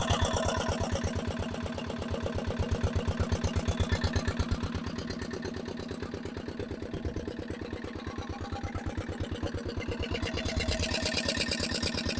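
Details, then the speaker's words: Barn-find dumper, single-cylinder diesel, first run after revival with no exhaust or silencer fitted: loud fast barking thumps, very smoky, revs seem very high; runs hard and rough, cause suspected but not confirmed. "I definitely need to get that exhaust on that was absolutely Bonkers loud"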